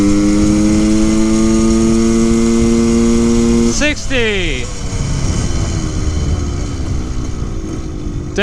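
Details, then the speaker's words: 1974 Honda MT250 Elsinore two-stroke on a top-speed run at full throttle on a flat road: note creeps up slowly, hangs near the top, then a rough crackle; high-rpm misfire, better but still not right. "better but still not still not quite right"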